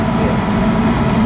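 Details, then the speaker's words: Newer off-brand 90+ gas furnace that had been shutting off, thermostat jumped out to run it: steady, even burner and blower rush with no cutting out, surging or rattles; normal running, issue suspected condensate or thermostat. "It's running good now, guy. I mean, it's not shutting off. It's running. It's running decent now."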